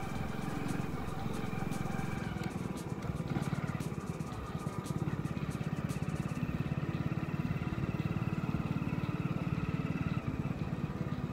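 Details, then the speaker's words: Motorcycle riding after crossing water: drum brakes that squealed irritatingly after water entry were lightly sprayed with WD-40 front and rear; now steady low engine note and no brake squeal, noise completely gone. "So gas आप देख सकते हो आवाज़ बिल्कुल जो है खत्म हो चुकी है"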